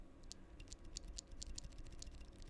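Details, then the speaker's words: Stock switch on a Hex.4B Dreamcore Edition keyboard, recorded with the gain raised: sharp irregular clicks with a hollow metallic ping behind each press plus scratchiness; the owner suspects the leaf, which is not confirmed. "definitely more scratchy, but that pinging, hollow pinging sound is still there. I think it's the leaf."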